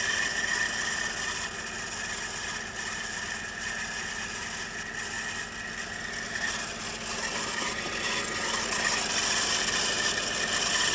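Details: 2003 Audi S8 (D2) engine running: harsh metallic chatter and rattle about four beats a second over the engine; failing accessory belt tensioner, and the car later broke down before the replacement arrived.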